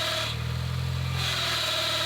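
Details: 2005 Mini Cooper 1.6 that won't move: over steady idle a high thin screech comes and goes with the clutch pedal; clutch release bearing exploded and trapped between pressure plate and clutch.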